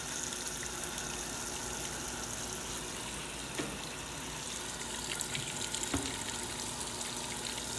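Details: Washer starting a wash: quiet, steady gush of water filling the tub with a faint pump hum; normal water fill.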